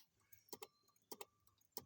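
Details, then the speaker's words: 2001 Pontiac Firebird power window that won't go up, key on, with a fresh battery connected: paired sharp clicks about every 0.6 seconds; faulty wiring is suspected and will be replaced. "i don't know if y'all can hear that ticking or not but anyways yeah this wiring is all messed up"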